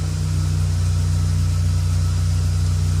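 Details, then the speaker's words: VW Polo 9N with rough idle and a stiff brake pedal from a damaged vacuum hose, after fitting the vacuum hose: smooth steady idle, expected to drop to just under 1000 rpm as normal. "in theory what should happen is my idols should drop to just under 1000 as is normal on this vehicle"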